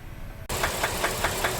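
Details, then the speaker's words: Ram 1500 V8 that ran low on oil, idling warm with a sharp, deep knock about five times a second from low in the engine, not the lifters; it was first thought to be piston slap but is confirmed as rod knock. "So, it's been running a while and it's it's definitely it's a rod knob. You hear it? It's idling and it's coming from down low. It's not up here like where the lifters are."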